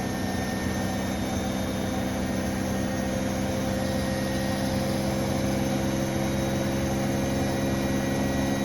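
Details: Brand-new Bosch Serie 4 WAN28281GB washer on a balanced final spin: steady high squealing over even drum rumble; door seal clear of the drum; owner wonders whether it is the bearings or the EcoSilence drive belt, unconfirmed.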